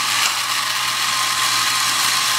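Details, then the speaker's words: Vintage Tandy Radio Shack computer truck toy on two batteries, first run after repair: small motor whirs steadily with fast gear chatter and no load changes; the steering cam mechanism runs but turns the wheels too far. "Oh boy. So it does not work quite right. It turns"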